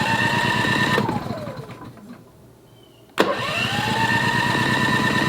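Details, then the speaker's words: WEN 4000 W dual-fuel inverter generator running on propane, electric start with choke on: engine runs briefly, dies to near silence, then catches; it would not stay running on choke but powered right up once choke was taken off. "I don't think the battery's a problem but we are trying to start it off with propane let's give it another shot ah as soon as I took choke powered right up"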